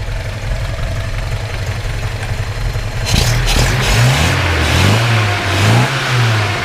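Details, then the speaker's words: 1971 Datsun 510 wagon, upgraded L20 engine, 78-79 200SX 5-speed, already warmed up: smooth steady idle then clean free revs climbing and dropping without stumble or knock; runs nicely, no smoke; normal idle and revving. "really nice running a little little car doesn't blow smoke or anything like that"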